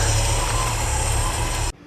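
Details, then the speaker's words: 1963 Ford Galaxie V8 during carb, intake and distributor upgrades: a steady high thin squeal rides over the even running note, then cuts off. It seems to come from near the alternator, but the source is unconfirmed. "I don't know what that squealing noise is sounds like it's coming from near the alternator"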